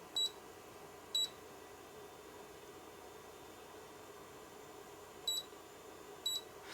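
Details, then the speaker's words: Brymen BM235 multimeter (first version), backlight circuit: short shrill squeals near 4 kHz each time the backlight switches, quiet between; whine traced to singing ceramic capacitor C44, before replacement. "hello and welcome back and today we're going to revisit the uh breiman bm-235 with that whining noise which has been traced down to c 44 which is a ceramic capacitor"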